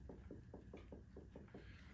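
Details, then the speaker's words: Onewheel hub rocked side to side on the rails gives quick popping clicks, about four a second: severe axial play from too much space between hub covers, bearings and axle or off hub tolerances, to be fixed with two shims. "all right in this video I'm going to show you guys what to do when your Hub is getting this kind of side to side clicking noise if I hold on the rails and Rock The Hub back and forth you can hear that popping"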